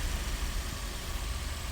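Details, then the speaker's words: Suzuki Swift twin-cam engine after fitting and tensioning a new alternator/water pump belt, revved; quiet, smooth, even idle with low steady hum, no squeal or slip, charging fine; normal idle. "Is it going to slip? No, it's absolutely beautiful. She's on like a good one. That sounds really nice, that."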